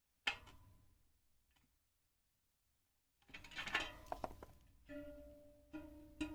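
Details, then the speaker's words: Newly fitted replacement spoke on a Chinese 50 mm carbon rear wheel of a Ribble R872, plucked. Gives a short, dull, low note that dies quickly, far below its high-pitched neighbours. Under-tensioned; needs tightening until the pitch rises. "the new one very low tone so we need to keep tightening that until we get that resonance up a bit higher"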